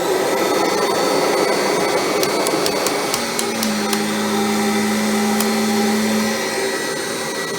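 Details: Kirby G5 vacuum with original transmission drive selector switch and new fan impeller: steady high whir, smooth tone, no grinding or rattle from the drive; normal running, though the owner notes a shutdown squeak and suspects the motor needs a rebuild.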